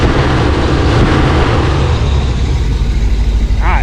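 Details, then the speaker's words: Chevrolet Suburban V8 just fitted with new 600 CFM electric-choke carburetor, started first try: deep steady idle rumble with even beat and no stumbles, misses or popping; no smoke, no rich smell; engine healthy. "That thing tell you guys, that thing runs better than old Elder Brock. Sounds good. Ain't smoking. Don't smell rich."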